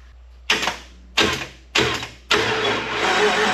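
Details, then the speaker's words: Vehicle with dual triangulated four-link suspension, battery just installed, cranked with a relay: three short cranking bursts then a longer crank, engine never catches; crank-no-start, cause not yet pinned down. "will not start with a key"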